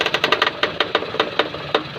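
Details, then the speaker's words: Maruti Suzuki Alto, engine idling, bonnet open: sharp irregular creaks and clicks while steering, from the front shock area; suspected broken rubber shock mount letting the shock ride up so metal rubs, not confirmed. "Means ഇതിനുള്ളിൽ വരുന്ന rubber mounting പൊട്ടിയിട്ട് shock മേളിലോട്ട് കയറിയിട്ട് ഈ കാണുന്ന metal ഇതിൽ ഒരയുന്ന സൗണ്ടാണ് ഈ കേൾക്കുന്നത്."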